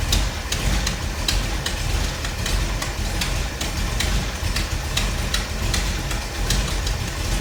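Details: 1957 Chevy wagon 454 big block V8 idling after a new cap and rotor and a vacuum canister adjustment during timing work (total timing thought to be about 36). Steady, lumpy idle with regular light ticking and no misses or knocks: a normal idle.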